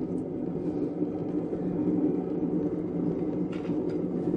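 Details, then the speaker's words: Old potter's kick wheel with a wide 160–180 lb flywheel spinning on momentum: steady low rumble with faint hum, rougher than it should be; worn flywheel bearings. "the bearings you can probably hear that they're not the the best bearings this is an old old kick wheel"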